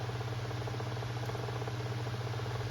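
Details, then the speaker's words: Kuo Horng 9" KH-901 oscillating desk fan on high speed after cleaning and oiling the bearings: steady hum with a fast, regular light knock in the fan head. Knocking from extra shaft play; the old thrust washer was not replaced. Suspected, not confirmed. "kind of knocking back and forth you might want to try to put maybe if I put another thrust washer in there but I didn't replace the old one so it does have a little more play in it"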